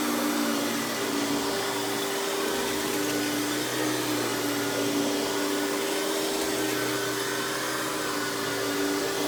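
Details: Hoover PowerMax Supreme 850 S3609 1990s canister vacuum, non-original hose, high speed with power brush running: steady even motor roar topped by constant whine, no surging, rattling or belt slap; runs very smooth though not the quietest; normal running.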